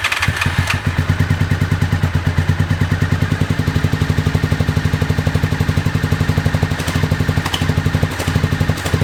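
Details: 2001 Honda VFR Interceptor V4 after nearly a decade in a barn, old fuel, FI light on; exhaust-pipe heat test suggests cylinders 1, 2 and 4 dead, only number 3 firing. Lumpy pulsing struggling idle: misfire, running on one cylinder.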